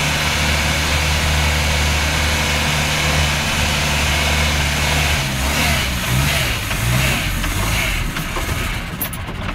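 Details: Land Rover Series engine: idle stumbles and surges, then sputters and dies; rough misfiring, owner thinks water in the gas, not confirmed.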